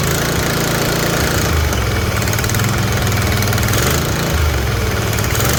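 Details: Kohler 24 hp V-twin mower engine after both ignition coils replaced and spark plug refitted: steady, low, even drone with no misses or tapping; sounds healthy, though oil is dripping on the exhaust.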